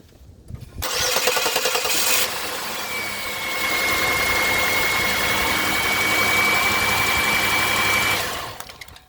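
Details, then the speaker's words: 2002 Chevy Malibu with a crank no-start, fuel pressure already checked and a spark tester in line: the starter grinds briefly, then the engine unexpectedly catches and settles into a steady idle. Intermittent fault, cause unfound. "no freaking way guys this tur just started out of nowhere you guys heard it"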